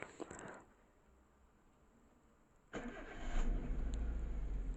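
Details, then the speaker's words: Engine after reassembly with the TPS sensor refitted while chasing code P0304: cranks and catches into an uneven, lumpy, shaking idle; cylinder four still not firing and P0304 still present, with spark plugs, plug wires and coil under investigation. "Although in The camera is not very noticeable, the engine is shaking, it means that the fourth cylinder is not working yet, the error p0304 is still present."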